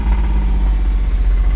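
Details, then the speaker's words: 2002 Porsche Boxster, 80,000 miles, held near 1900–2000 rpm shortly after startup: a dull, rapid knock under the engine drone keeps pace with revs. The owner hears a rod knock, though it may be something else. "I hear a rod knock. So, 80,000 miles. Someone just bought this car thinking they were getting a great deal, but it don't sound good."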